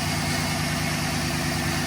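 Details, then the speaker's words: 2011 GMC Sierra, about 180–190,000 km, idling after new NGK spark plugs and wires: uneven, slightly lumpy beat under hiss; rough idle persists, owner suspects fuel system, maybe injectors. "Yeah, I think it's something to do with the fuel system. We'll maybe go to the injectors next weekend."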